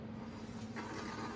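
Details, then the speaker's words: Electric bicycle, newly assembled, wheel turning: a light continuous scraping grind from a slightly out-of-round brake disc that is not centered and catches on the caliper cotter pin. "this cotter pin that goes through here on your caliper it's that's the noise of this brake disc not being perfectly centered and it's just catching on the co"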